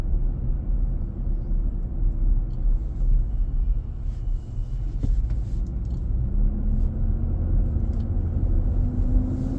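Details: New 2023 Nissan Armada, about 4k miles, driving around 40 mph on a hot day, cabin near 95°F: deep steady roar under road noise that swells with engine speed and on acceleration, with power loss felt; happens almost daily. Loud fan clutch roar.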